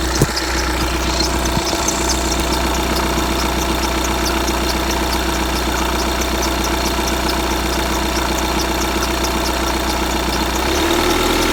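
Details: 2015 VW Tiguan 2.0 TDI 150 BMT, 34,000 miles, cold engine idle: fast high chirping squeak a few times a second over the diesel clatter; lasts a minute or two then stops, source unknown.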